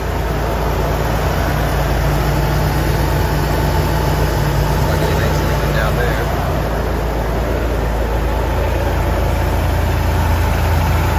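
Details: Toyota 4Runner freshly refilled with five quarts of oil after an oil and filter change, started for a leak check: steady, even low rumble with no knocks, ticks or misses, settling into a smooth healthy idle.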